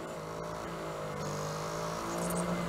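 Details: NAD M5 SACD player drive: quiet, steady motor whine rising as the disc spins up, no wobble, rubbing or runout; the spindle now runs smoothly, unlike the previous drive.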